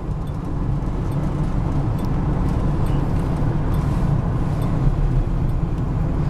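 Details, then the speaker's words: Truck accelerating hard to 65 mph on the freeway; engine and road rumble builds smoothly, automatic transmission shifts perfectly with no shudder, slip or clunk; normal shifts. "The transmission shifts absolutely perfect like it should. There's no shuddering or slipping or any type of shimming or anything like that, or up and downness."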